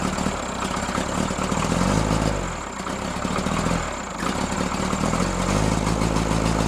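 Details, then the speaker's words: Freshly rebuilt Cummins diesel in Case 1840, new injectors, rebuilt pump timed 12° BTDC, injection system just opened: fast idle with uneven, lumpy, loping pulses; misfire, balance test hints cylinders 1 and 2, cause unconfirmed. "Get this RPM back up to where you can notice the misfire the most."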